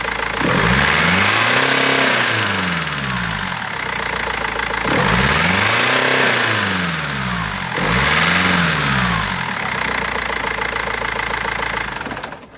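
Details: BMW 320d diesel with three rev blips over a harsh clatter and an uneven misfiring beat at idle; injectors or tappet suspected, but garage and seller have not found the cause in over a month.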